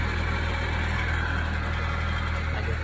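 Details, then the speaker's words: Honda after an interstate accident, cold start on a hot day: steady puffing tick about four times a second over the idle from an exhaust leak caused by a broken exhaust mount; calms down once warm, repair planned. "That's one of the mounts for that exhaust piece. I guess when it hit off road it kind of um broke that mount. So, it made that um part of the exhaust leak."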